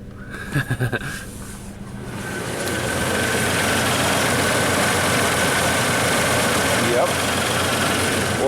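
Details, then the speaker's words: Isuzu Rodeo at start-up, scope on cylinder 4 coil control wire: uneven idle stumble, roughly four beats a second; battery voltage and connectors good, but ignition control module not switching the coil when commanded, needs replacement; misfire. "this module is not turning on the coil when the computer tells it that's it we need a new ignition control module"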